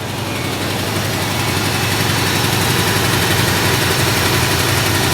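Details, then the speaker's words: 1971 Ford F250 V8 after refuelling, fuel leak fixed and proper battery cables fitted. Steady, even idle with a low rumble and no stumbles; owner says it sounds a little knocky. Normal idle. "Yay, Hank runs. Alright. Hank ain't leaking gas no more."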